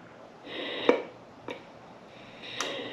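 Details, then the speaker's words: EVAP canister vent valve solenoid off a vehicle with over 130,000 miles, heavy stop-and-go use and intermittent fueling problem, bench-tested with 9 volts: air hisses between sharp clicks, opening click late and uneven, valve sticking; replaced (codes P0446, P0449). "you see how it got stuck right there when it was opening that's why we go to we just replaced this one cuz he had an intermittent fuel problem fueling problem"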